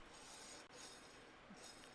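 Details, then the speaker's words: Y linear rail on a V2.4 printer gantry, carriage slid by hand: soft dry rasping hiss with no catches or gritty clicks; rail needs oil but runs fine, normal. "It needs some oil, but it's fine. This Y rail is also great. It's fantastic."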